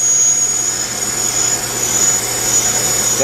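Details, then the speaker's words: Bench brake lathe resurfacing a rotor: steady piercing high squeal throughout the cut from rotor vibration against the cutter bit; a spring damper reduced but didn't eliminate it. "hear that squealing noise that's actually a vibration"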